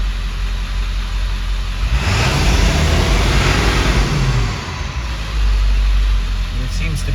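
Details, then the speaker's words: 2000 Ford Excursion 7.3L Powerstroke diesel with low power, unable to exceed 40 km/h, in the shop with air filter installed: revs up then sags and stumbles before recovering. "be some hesitation too it just doesn't sound right go ahead and take out the air filter"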